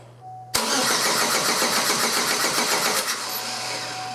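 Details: Pontiac Sunfire 2.2L cranking after broken timing chain replacement, before first start: even, brisk cranking beat with no uneven drag. A compression test showed almost 170 psi; compression sounds strong and balanced.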